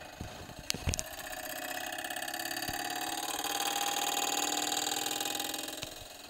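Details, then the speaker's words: 1980s NABU personal computer at power-on: fan spins up with a fast, rough rasping scrape over its hum, then fades; fan blade rubbing its housing. "so that's perfectly normal but that noise is not normal so we better turn that off and take a look inside"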